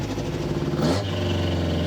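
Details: Rebuilt 350 V8 after carburetor screw adjustment cured exhaust popping: steady, even rumble with no pops or misses; running clean and smooth.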